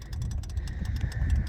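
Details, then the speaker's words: Ford bricknose truck with 7.3 IDI diesel, most fuses pulled and wired through quick disconnects: glow plug relay heard clicking quickly and evenly, about ten a second, over a low hum, cycling on and off normally. "so if you remember we had these quick disconnectors and you can hear the glow plug relay coming on and off so that's a good thing"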